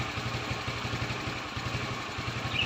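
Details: Yamaha Mio carbureted scooter that sputters when the throttle is closed, idling after carburetor adjustment to the factory default setting; steady low thump about seven beats a second, a touch soft and lazy: suspected slightly rich idle, not confirmed.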